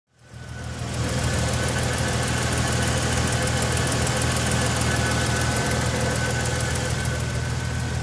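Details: Supercharged 2015 Toyota Tacoma engine idling steadily with a light, regular tick, roughly three per second, over the hum.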